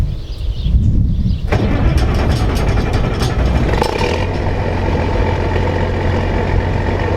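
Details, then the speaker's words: Combine with Perkins diesel that won't start without the electric fuel pump, lift pump too weak: cranks, catches, runs roughly, then settles to an uneven low idle as if wanting to die; owner suspects a Perkins trait. "it would start up and it would die again and he says it's a perkins that must be just a perkins thing"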